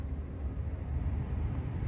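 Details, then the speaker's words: BMW F10/F11/F07 blower motor after replacement; old one was noisy from a lower bearing immersed in water. Steady, even low hum with no ticking, scraping or pitch wobble: new blower runs smoothly and quietly, no more noises. "No more noises, works just as it should right off the bat."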